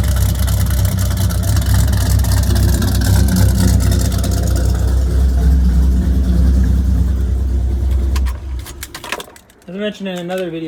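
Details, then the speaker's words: Dodge Viper V10 idling in garage with aftermarket headers and exhaust: deep, loud, even low burble about four pulses a second, settling as idle comes down before shutoff; healthy normal idle. "not sure if you can hear me once that idle comes down it starts to really sound"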